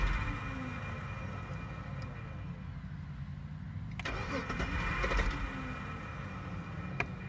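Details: Jeep cranking with the starter grinding over in an uneven rhythm of about four beats a second; the engine never catches, so it won't start. Cause unconfirmed.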